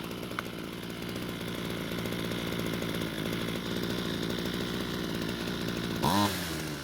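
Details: Ryobi two-stroke string trimmer test run after turning the L screw counterclockwise and raising idle: steady, even buzz at constant speed with a brief rev near the end, running cleanly; attachment noticed slightly loose.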